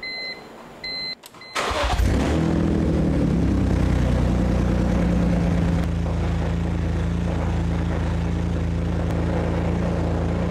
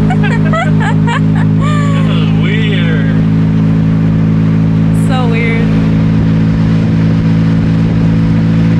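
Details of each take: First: BMW E46 M3 parts car revived after sitting, running on old gas after fixing a loose fuel hose clamp: short crank, then catches cleanly and settles into a steady even idle with no misses or knocks; normal start and idle. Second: BMW E46 M3 convertible, revived after sitting over two years, while driving: deep, loud, steady exhaust drone with heavy low rumble; loud exhaust.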